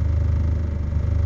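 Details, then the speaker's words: Mitsubishi Lancer with the idle servo bypassed, at normal operating temperature and about 790 rpm: low, even idle hum that dips slightly when the AC switches on and recovers at once; idle holding normally. "Switch ko yung aircon, bumaba lang ng konti, tapos bumawi agad."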